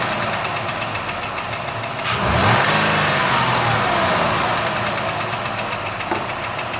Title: 2006 ford escape 3.0l v6. What's this knocking noise?